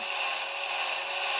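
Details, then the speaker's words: Marks & Spencer Insect-a-zoid self-build robot, model 4218, after fix: pinion gear had rubbed on the crown gear and was moved about 1mm up the shaft. Soft steady high whir, no rubbing or gnashing; quiet gear drive. "so we'll give it another little run so you can hear how quiet it is now so here we go again and this time it should be much quieter"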